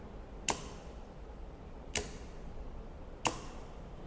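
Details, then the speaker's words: Contactor on 230 V supply through a series lamp (dim bulb tester), plugged into a plug base and switched on: sharp single clacks over a quiet hum as it pulls in; bulb stays dark, no short circuit, normal pull-in. "ඊට පස්සේ මේක on කරලා switch එක on කරනකොට මේ කන්ටැක්ටර් එක වැඩ කරනවා. හැබැයි මේ බල්බ් එක පත්තු වෙන්නේ නැහැ. මොකද මෙතන ෂෝට් සර්කිට් එකක් නැති හින්දා වලට."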